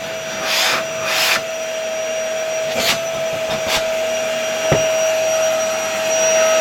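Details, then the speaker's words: LG V-3340D vacuum cleaner after its noisy motor (old one suspected bad bearing) was replaced with a new no-name Chinese motor: steady high even motor whine, brief hose whooshes, no rubbing or rattle, no smell, very good suction; normal running. "Okay, I think it works very well. It doesn't stink. It has very good suction."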